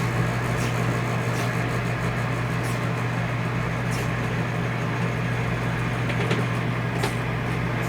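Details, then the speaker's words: RV rooftop air conditioner after retightening the roof mounting bolts by hand: steady, even low hum, vibration gone; loose bolts had caused the vibration. "see here how it got quiet again just gotta torque the bolts don't over tighten them"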